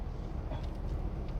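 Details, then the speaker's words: UK learner car, first driving lesson, in neutral with gas held so the rev counter sits between 1 and 2 (thousand rpm): steady even low drone with no knocks or misses, ideal revs for moving off; normal engine revs in neutral. "Yeah, so when you hear that level of noise? Yeah, that's what you want. So whenever you're moving off, this is the kind of noise that you want, yeah?"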